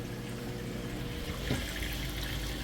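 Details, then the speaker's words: Whirlpool washer draining a heavy towel load after a deep-water wash: steady rush of water with a low pump hum underneath, flowing out quickly and evenly; the drain pump works normally. "All right, and the drain just kicked in."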